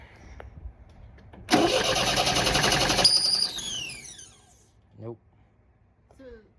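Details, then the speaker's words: 1973 MGB sitting 20 years, first start after spark fixed by moving the shifted points/condenser plate in the distributor: engine catches with a loud rush, then high squeal sliding down in pitch; just a squeaky drive belt. "a squeaky belt yeah that's just the belt"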